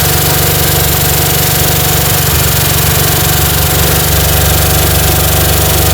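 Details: 1960 Chevy C10 235 six after 40 years sitting, in its first running attempts. A rough, loping idle with a regular tick about four times per second; an exhaust valve is suspected to be hanging up, and the valves are to be backed off slightly.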